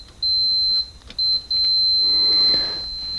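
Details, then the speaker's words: Multimeter continuity test in a Classic Mini, probing the purple-with-black-trace wire at the back of the ignition switch; short beeps then a long continuous tone, confirming it is the horn wire. "And then once we hit continuity, should hopefully hear that"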